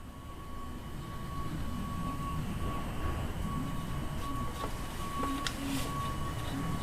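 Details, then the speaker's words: EZGO TXT gas golf cart engine running rough and skipping, during a compression test: good spark, driver side cylinder about 130 psi, passenger side no compression; a fast uneven cranking chug with one weak stroke, a dead cylinder from burnt valves. "ah look at there look at there no compression let's try it again uhhuh okay so at this point there's no need to go on to the next step"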